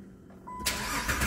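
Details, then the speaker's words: 2011 Jeep Liberty with intermittent hot no-crank (battery and starter ruled out), scanner watching start signal: brief crank, then it catches at once into a steady run. This is a clean normal start; the fault did not reproduce. "encendió perfecto vamos a intentar otra vez quiero que me haga la falla"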